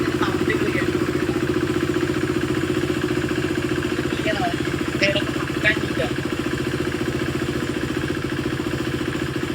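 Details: 2016 KTM RC 390 BS3, slipper clutch, second owner, Power Tronic added: even, regular thumping idle with a steady beat and no ticking, knocking or misfires; healthy single-cylinder engine at rest.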